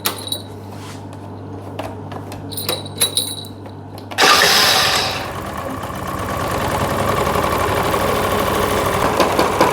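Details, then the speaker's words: Honda Lead AF20 two-stroke scooter, first start after an engine rebuild with the carburetor not yet adjusted and the auto choke still closing. It idles fast with a light buzzy chatter from the loose front plastic panels rattling. "Брощить пластик спереду. На фонді ляд не буває, щоб не брощало щось."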